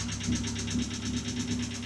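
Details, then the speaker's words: Ford Sierra Cosworth RS petrol engine idling after oil change: quick even clacking of about six ticks a second over steady hum, attributed to hydraulic lifters (tappets) re-priming; thinner oil suggested. "C'est peut-être mieux quand même le claque claque là qu'on entend. Ouais. Clac c cl. Ouais, c'est les poussoirs."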